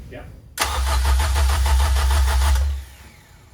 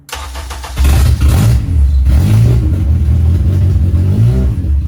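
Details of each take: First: K24 engine swapped into 1st-gen CRX/3rd-gen Civic, first start attempt, fuel pump on, no IACV: even starter cranking about three and a half beats a second for two seconds, never catches; no spark, coil packs left unplugged. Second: First start of a K24 engine swapped into a first-generation Honda CRX/third-generation Civic: it cranks briefly, catches and fires, then revs rise and settle into a steady, even idle. Normal start and run.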